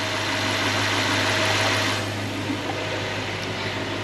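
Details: Toyota/Lexus 3UZ-FE V8, engine still hot, after replacing idler and tensioner bearings and refitting the belt; steady smooth idle with only a faint hiss, most of the whine gone.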